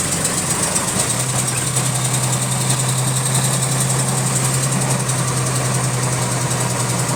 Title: Repetitive Clicking Noise In Sync With Engine Speed | GAL WVL358 On Bus Route 486 Part 1